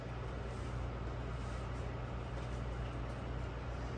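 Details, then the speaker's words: Unbranded microwave, model UMV1170LW00, running the popcorn function before its vent duct is fitted: an even low hum with steady fan rush and no rattles or grinding, expected to get quieter once the duct is on. "probably be even quieter once i get the duct torque on it"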